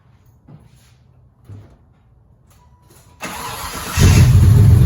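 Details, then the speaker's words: Impala SS with LT1 350 V8, vacuum leaks being traced, exhaust leak still present: idles a little above 1,000 rpm but sags when put in gear as if about to stall; idle stumble in gear, cause suspected, not confirmed. "is idling about a little bit above a thousand RPMs but if I put it in here it sounds like it wants to die a little bit"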